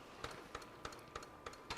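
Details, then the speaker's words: JVC MX-G70 compact stereo parts unit, first power-up on bench: sharp mechanical clicks about every 0.3 seconds over quiet hum as cassette mechanism clicks repeatedly, cause unknown; radio starts; cassette mechanism clicking. "I hear the cassette clicking. It starts on the radio."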